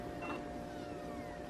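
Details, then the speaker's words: HP Beats Special Edition laptop that was dropped on its corner while the DVD was spinning, which also damaged the display cable; at boot a faint whir climbs, then sags and repeats, so the optical drive fails to spin up and is likely damaged. "It not only messed up the display cable, but it also messed up the drive. Because whenever you boot it up, the drive will make a funny noise."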